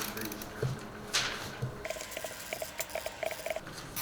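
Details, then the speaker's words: Refrigerator mechanical defrost timer rotated by hand until it clicks: a sharp click then light ticks as it switches into defrost mode, which it normally does once a day, stopping the fan while in defrost. "Once a day, this will go into defrost mode. But if you tested it, you just keep rotating this till you hear it."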